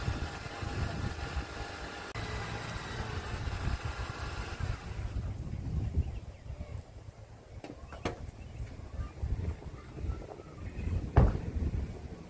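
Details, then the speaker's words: 2006 Honda Accord after MIG-welding a badly leaking rusty exhaust: low, steady idle with no puffing or ticking from the pipes; exhaust sounds sealed. Normal idle after repair. "sure it sounds a whole lot better. I should have took a video of what it sounded like before, but you guys saw it."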